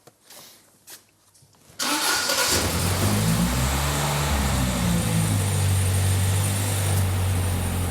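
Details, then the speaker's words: Holden Gemini with Haltech engine management, started for the first time after a fresh fuel map. It cranks briefly, catches cleanly and holds a smooth, even idle with a steady low rumble. "The Gemini lives. It lives. And just sounds good. It sounds really good, actually, doesn't it?"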